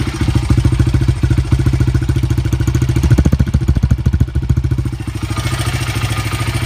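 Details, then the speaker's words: Honda CRF80 at factory air mixture setting, screw two turns out: uneven putter skipping beats at idle, a lean misfire; one turn out gives a stable idle. "So I just want to point out, this is how the bike idled when we got it from the factory. Listen to how it kind of misses."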